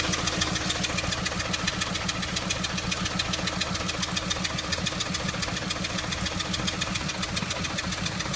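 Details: Audi A3 at idle, coil pack already changed and compression confirmed: steady ticking pulse about 3–4 per second with an uneven, stumbling beat underneath. An engine misfire of unknown cause.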